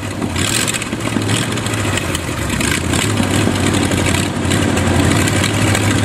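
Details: Used Chevy 350 small-block V8 on an engine stand, first run after purchase: lumpy idle with a wandering, surging beat; carburetor top off shows dirt inside, idle circuit tubes likely plugged, thorough carb cleaning needed.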